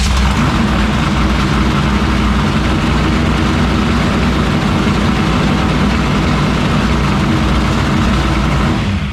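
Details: 1976 Chevy Vega drag car with a new 427 V8, after the distributor was reseated on the oil pump to restore oil pressure: deep, steady rumble at an even idle with no knocks, misses or ticks; great oil pressure. Normal idle.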